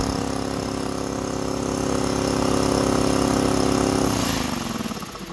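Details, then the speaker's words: Used DeWalt DXCM601 60-gallon electric air compressor, returned and sold as-is: motor hum keeps running, then winds down as it dumps air, cycling repeatedly. The pressure controller needs turning; cut-off was at 149 psi, dropping to 142, and the tank was about 105-110°F. "so the unit kept running and I could hear it dumping air and then running and dumping air finally came back here and paid attention to the pressure controller"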